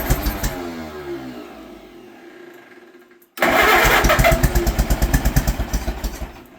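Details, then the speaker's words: Old Allis Chalmers tractor, barn find stored about 20 years, with the original crank start, on its first start after the motor was cleaned out and given little fuel; long crank catches, stalls, restarts with a sharp pop and lumpy beat; backfire on starting, cause unknown. "Whoa. That backfired. Pretty promising though."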